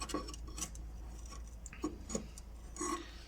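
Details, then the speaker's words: Mercedes W210: sharp metallic clacks as a worn right sway bar link is levered back and forth, the knock heard constantly in the cabin from the right side; the left link is fine. "то есть она уже изношены вот хорошо видно как болтается и вот стук лишь те вот этот стук который у меня постоянно в салоне"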